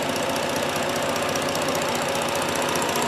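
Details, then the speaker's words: 3.7 Duratec swap running a 2011 Ford Edge PCM with an SCT tune, warm idle after first start: quiet and smooth with only a fine, fast, even ticking from the injectors; normal injector ticking at idle. "but that is a smooth running engine even with the tunes water pumping on him listen to that how quiet this is folks that is remarkable all you hear is the injector ticks that is outstanding"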